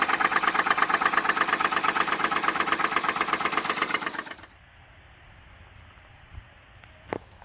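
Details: 2010 Jeep Wrangler JK, bought at auction with a blown engine: petrol engine runs with loud, regular rod knock, then shuts off; engine later replaced with a new core.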